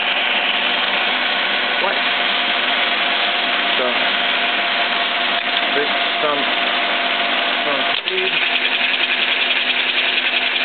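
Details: Biernatzki milling machine after fitting a replacement drive shaft: steady, even mechanical whir with constant pitch and no knocking, quieter and smoother than the original shaft; table feed gearbox noise is separate.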